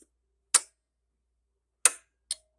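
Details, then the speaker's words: Pioneer SX-1080 receiver switched on during a bench test: three crisp clicks in a near-silent room, the last two close together, then quiet; the relays must work or the receiver won't come on, and they pull in normally. "can hear those relays those have to work or the radio won't come on"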